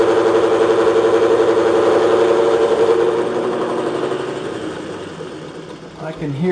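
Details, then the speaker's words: Bridgeport mill with a dull shell mill taking a 10 cut on aluminium marine clips: steady motor hum with an even throb that sags under the cut, close to bogging; switching to low gear, and the shell mill needs sharpening. "I don't know, that shell mill is a little dull, so I'm having problems with it, so I think it's time to get it sharpened."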